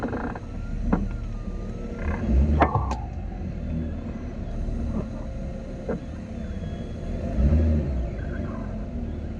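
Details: Jeep Wrangler JL creeping and steering slowly forward/reverse at idle: a few sharp irregular clicks; owner unsure if from front, hears more at rear.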